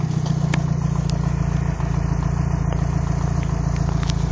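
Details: Mitsubishi 4G63 Evo 4 petrol engine: steady drone with sharp metallic ticks; knock louder from top than underneath, appears when warm with aux belt off, from cold with belt on; crank walk, rod bearings and timing checked fine; cause unknown.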